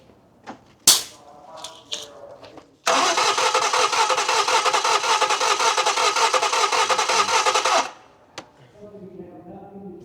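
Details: Car with crank-no-start complaint, ether gave no start; about five seconds of steady, quick cranking during compression test without catching; compression 95–125 psi against about 140–150 expected, low compression.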